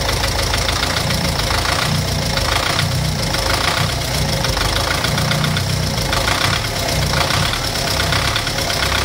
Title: Стук в двигателе